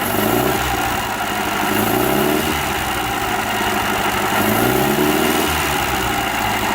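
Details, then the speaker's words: Remanufactured Atomic 4 inboard for a 33' wood sailboat (original seized by exhaust water backflow), new carburetor, warm at about 100 degrees: engine revs up smoothly twice and settles back, even and steady with no knocks or misses; runs real smooth. "It runs real smooth. You can check that by the exhaust stack as well."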